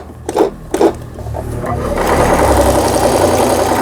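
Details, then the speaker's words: Brother PC15 home sewing machine, about 20 years old and unused about 10 years, after repair of the feed regulator, thread guide and stuck pattern mechanism: a couple of light clunks, then a smooth even whir at steady speed; stitching normally. "예, 보시는 바와 같이, 예, 정상적으로 박음질이 돼서 나오는 브라더 미싱의 PC15라는 기계."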